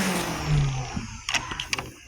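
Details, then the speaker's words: 2021 Bissell AeroSwift Compact upright vacuum, about 3 years old: a loud siren-like whine sliding down with rattly puffs, blowing dust from the exhaust; the motor is full of dust and the filter is dirty, so it needs a strip-down. "I guess they didn't really take care of this vacuum if sounds like a siren yeah I'm going to have to open this up when I get on Monday because this just sounds awful"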